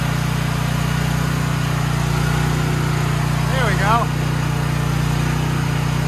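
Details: Troy-Bilt XP 7000 W generator, Briggs & Stratton 21 hp 420 cc single-cylinder, just started, main breaker on: steady even thrum at constant governed speed, no misses or knocks; engine runs smoothly, no power output later traced to a faulty AVR.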